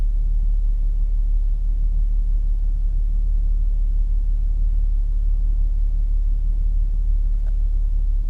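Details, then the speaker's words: Cold-start idle on a B8.5 Audi S4 just flashed with Jackal Stage 1 (stock pulley, off-road module) ECU/TCU tune: deep, steady rumble pulsing about three times a second with nothing above it; idle sits noticeably low for a cold start. "It does idle low for a cold start, eh? That's the first thing I notice is that idle's pretty low."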